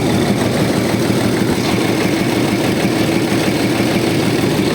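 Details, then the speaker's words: Diesel, first run after engine rebuild, still cold, no smoke, oil pressure about 4: steady even clatter at idle with no hunting or heavy shudder; idling normally, though a hose admits air and diesel seeps slightly. "Не димить температура він холодний"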